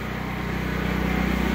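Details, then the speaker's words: Predator 8750 generator in enclosure shed, over 2 years old, powering lights and fan: steady even low drone with constant firing beat, no knocks or surging; running fine under load, not very noisy. "And it's doing just fine. It's not even noisy. It's not very noisy at all."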